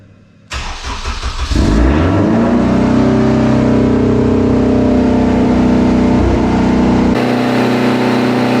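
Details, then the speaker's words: AWD-converted Honda Civic Type R first fired after new wiring and intercooler piping, fuel system primed, no cooling system connected: starter turns briefly, then a steady, even, slightly raised fast idle with no knocks or misfires; healthy start. "um I'm curious if we let it run long enough if it would idle down over but I don't think we can let it run long enough with no cooling system"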